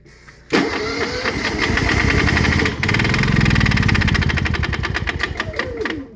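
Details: Honda EU7000is inverter generator with start-then-stall problem, oil reduced after overfilling (fuel suspected in oil), side covers open: catches, runs roughly with uneven beat and light slap/click, dips, recovers, then dies after seconds; cause unconfirmed.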